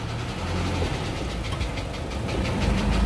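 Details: Isuzu Elf 4HL1 diesel with ECU, after fixing crank-but-no-start fault: steady idle with even low clatter, no misses or stumbles; runs smoothly and sounds healthy.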